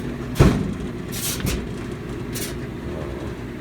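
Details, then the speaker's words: GE dryer GTDP300EM1WS after replacing a broken drive belt (WE12M29), tumbling with clothes: low steady rumble with brief scraping rasps; metal rattle gone, something scraping the drum, owner suspects he bent the frame. "Not rattling anymore. That's something scraping against it. Maybe because I bent the frame."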